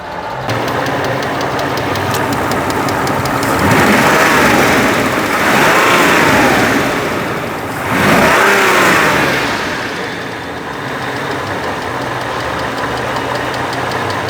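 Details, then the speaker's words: Mercedes R129 SL600 V12 donor car, 990,000 on the odometer, first start after sitting for years, suspected bad gas and misfire: uneven, blipping idle with a slight lifter tick that fades as it runs and warms up. "sounds like it's got a slight lifter tick slight of course it has been sitting for a while so maybe it just needs to warm up and work its way out sounds like it's getting less and less"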